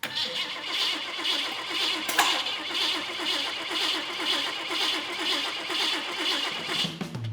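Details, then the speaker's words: Custom hot rod build, fuel pump running, engine previously ran in the frame: steady rhythmic starter cranking about once per second, engine never catches; cranks but no start, firing order issue suspected. "I expected this thing to fire right up, just like it did when we first put it in the frame, but we're not getting anything."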